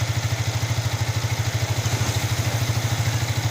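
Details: Yamaha R15 V3 brought in pushed although it was not dead: a steady, even low thump at a smooth idle with no misses or knocks. Normal idle.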